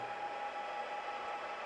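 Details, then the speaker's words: Old 2011-2012 Layer 2 network switch (48x1G, 4x10G ports), components at 30-40 °C: steady, loud rushing whoosh with a thin whistle from its three internal fans, which the owner then unplugs; loud cooling fan noise. "Le seul gros problème qu'il y a, je ne sais pas si vous l'entendez, c'est les ventilateurs. Ça fait un bruit de dingue"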